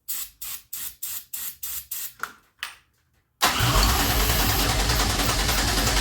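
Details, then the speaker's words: 2004 Pontiac Grand Am 3800 supercharged V6 swap, intake boot and air filter removed: steady cranking about three and a half compressions a second with no firing because the ignition key was off, so no spark. "The key wasn't even on. No wonder it wasn't trying to spark."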